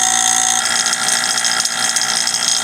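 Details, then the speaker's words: VIVOHOME 3.5 CFM 1/4 HP single-stage vacuum pump warming up, degassing wood stabilizer in chamber, near exhaust, pulling 25 to almost 29 vacuum, slightly overfilled with oil seeping from exhaust: steady even hum, high buzz, faint oily gurgle, no knocking; normal operation. "Alright, so you can hear my pump warming right up. Here's the exhaust on the pump."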